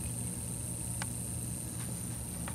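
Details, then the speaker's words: Wells-Gardner U5000 25-inch arcade monitor chassis with vertical collapse, 30 V reference present but no deflection: faint high whine with a sharp tick about every second over low hum; flyback ticking, suspected faulty flyback and/or bad capacitors, flyback to be replaced. "well we got 30 volts so we should have deflection and we don't but listen to that flyback it is it sounds like oh you hear it ticking"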